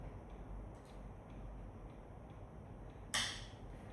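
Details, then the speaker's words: Rawsuns EV high-voltage battery manual switch system, key on, VCU high-voltage-on command sent: quiet hiss then one sharp crisp click as the relay pulls in and battery one outputs 80 V; normal relay engagement. "We can hear the relay is on, and battery one is outputting 80 volt."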